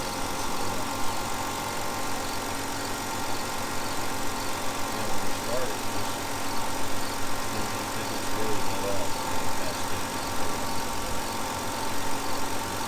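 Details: 2005 Hyundai Sonata V6 idling just after new coil packs were installed, replacing old ones suspected of leaking electricity. Steady, even idle with a low smooth hum, no stumble or misses; running healthy.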